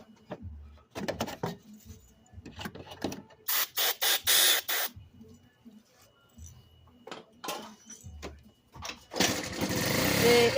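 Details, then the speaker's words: Garage-sale scooter with starting problems, spark present: engine catches in short ragged bursts only on carb spray, dying between attempts; dirty carburetor, jets (main, pilot, idle) to be cleaned. "Alright guys, so as you see, with the carb share, we're getting it fire. So we just need right now, take the carburetor off, clean out the jets, main jet, pilot jet, idle jet."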